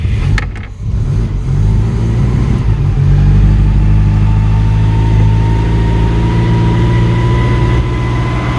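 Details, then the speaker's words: Citroen "Giselle" catches after a few cranks, with fuel drained from the carburettor after sitting and the airbox off: it runs cold and lumpy with hunting revs. The choke over-chokes but under-revs and won't hold idle. "The choke doesn't seem to work very well on this car at the moment. It over chokes but under revs."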